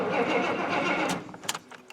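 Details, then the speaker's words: Square-body GM 3/4-ton 4WD Suburban, throttle body injection, off the road a while: starter turns engine over about a second without catching; cranks but won't fire unless sprayed, fuel pump runs, injectors suspected getting no signal. "now the problem that we appear to be having is it cranks over won't fire unless you put spray down it"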